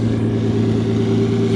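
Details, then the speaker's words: 2JZ-swapped solid-axle 4Runner in the desert, engine hot after earlier coolant boil-over, idling a little over 1,000 RPM (target around 800–900): steady even hum with a firm low drone, no knocks or misses. Still slight hesitation on throttle and occasional injector misfires. Normal running. "sounds good runs good it still got a little hesitation when I whack the throttle but hey whatever we're idling at a little over 1,000 RPM"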